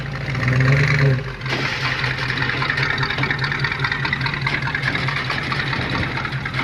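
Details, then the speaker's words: 1966 Ford Ranchero after carb and leaky radiator replacement and drum brake tuning: even, steady low idle rumble with no misses, knocks or ticking, some handling noise over it; engine idling healthy before being trailered. "obviously, we're loading her up to head south. Everything's working good. Oh, listen to that thing run."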